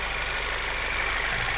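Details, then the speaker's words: 2008 VW Passat B6 1.8 TSI after injector cleaning and seal kit replacement: smooth, even idle, no shake or stumble, no fault codes; normal idle. "двигун запускається з оберта ніяких помилок У нас немає двигун працює стійко"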